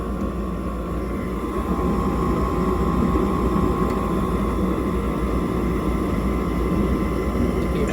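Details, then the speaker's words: High-efficiency gas furnace on annual maintenance, blower kicking on once the high limit senses heat after flame is established: steady low whoosh, fan hum and faint whine, smooth and even; normal blower start-up. "And once our high limit temperature senses a certain amount of temperature, our blower is going to kick on. That way we're not blowing, cool air at first. We'll give that a second. We should be able to feel the blower, maybe even hear the blower kick on."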